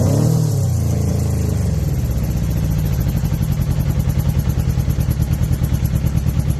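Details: 2006 Suzuki GSX-R 600: revs, then settles into a lumpy, uneven exhaust beat with a clattery, missing pulse; misfire or dead cylinder suspected, cause unclear.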